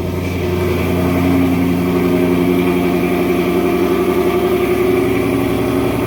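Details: Ford Mustang GT RTR Spec5 widebody, E85-friendly headers with stock catback, just cold started: loud steady fast idle with deep, even V8 burble, no knocks or misses; normal cold start idle.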